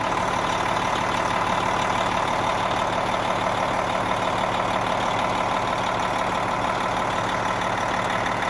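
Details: Cab-over diesel truck, first start after replacing a turbo with over 1,000,000 miles on it with a new, pre-lubed Industrial Injection 467 turbo: smooth, steady idle with an even low clatter about three beats a second, no whistle or hiss, no leaks. Running fine.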